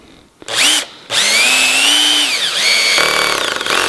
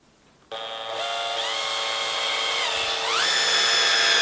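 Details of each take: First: Cordless drill with clutch set to 4 driving a screw into timber: whine sags under load then fast rattling buzz as clutch disengages the driveshaft, screw left just proud of surface; clutch slipping, set too low. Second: Cordless drill on speed setting 1 (slower, more torque, for roofing or decking screws): clean motor whine steps up in pitch then holds steady before stopping; normal low-speed operation.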